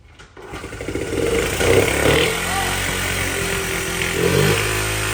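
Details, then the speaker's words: Honda Z50 mini bike single-cylinder after valve adjustment: fires up and runs ragged with uneven idle and occasional pops back through the carburettor intake; lean from a suspected big vacuum leak, not confirmed. "includes a big old vacuum leak yeah it's lean popping back up the intake"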